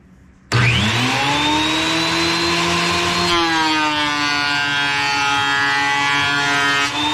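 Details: Wood planer after replacing its drive sprocket, with old blades (new blades planned): a clean, steady whine that dips slightly as the board feeds, with no knocking or chatter. Normal planer operation.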